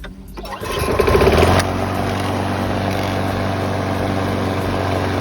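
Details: Craftsman self-propelled mower with a 7 HP Briggs & Stratton engine, bought used, a little smoky and shaky with a loose top cover: starts and runs steadily with a rattly tapping underneath. Engine knock, cause not yet pinned down.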